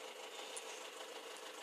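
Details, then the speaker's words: 2006 Peugeot 307 1.6 turbo diesel estate with high mileage: steady, even diesel clatter at idle with no knocks or rattles; runs smoothly and the turbo seems to work. "If I start the car up, it's a diesel, as you can probably hear. It runs pretty smooth on the whole. Turbo seems to work fine."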